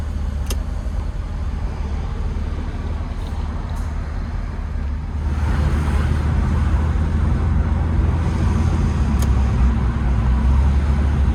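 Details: Late air-cooled Porsche 911 Type 993, test drive after cooling fan replacement for age-related engine noise: smooth even low drone under road noise, rising a little as it pulls; no knocks or rattles, healthy.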